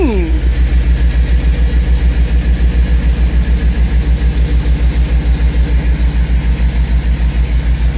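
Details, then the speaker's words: 1979 GMC C15 V8 after exhaust welded and both front O2 sensors installed: lumpy idle, steady low pulses about three and a half per second with a faint puffing tick; quieter, but a small exhaust leak is still suspected. "like i got an exhaust leak somewhere still too but still sounds better it's quieter"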